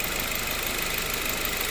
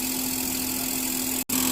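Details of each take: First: Mazda3 with 255,293 km, after AC hose, expansion valve and O-ring replacement, revved while parked in the sun. Idle is even, with smooth compressor hiss and hum and no rattle, grind or bearing whine. Compressor cycles normally, cabin 8–9°C, outside 28–30°C. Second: Mazda3 1.6 engine running, AC on: steady hum with constant whine near 200 Hz and hissy rush; noisy AC compressor from loose bearing and wobbling pulley wearing compressor collar, plus leaking hoses and O-rings.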